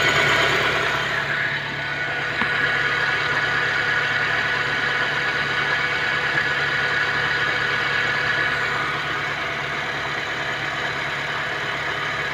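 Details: Honda Civic idling with a lumpy, slightly uneven beat and faint whine; misfire at idle that several mechanics have failed to diagnose.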